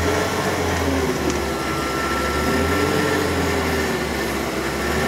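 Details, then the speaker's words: Mid-90s Ford F-150 after fuel filter change, idle with a low throb swelling and fading about once a second, pulsating only at idle; owner suspects debris in the fuel line. "well she has a fuel filter fired it up but still doing like this pulsating if you guys can hear it just being weird like that"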